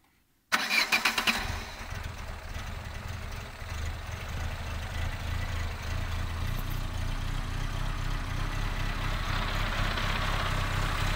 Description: 4-stroke straight 4 cylinder car with one broken cylinder sounds like an Wankel Rotary Engine